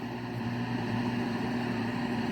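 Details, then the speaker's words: 1970s Zenith console radio on FM with no antenna, in a valley location: quiet steady hiss with faint low hum, no program audio; only static received, blamed on missing antenna. "Where I live is a little bit of a valley. It's kind of tough without an antenna to get uh good get good reception."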